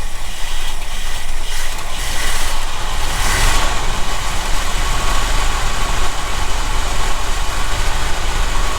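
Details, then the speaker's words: 1975 Ford F-350, ex-Seattle Fire Department, not run in about 20 years: loud, ragged V8 idle with uneven, stumbling firing. Rough idle; carburetor issue suspected, possibly one or two vacuum leaks, not confirmed. "sounds like some carburetor issue probably have a vacuum leak or two"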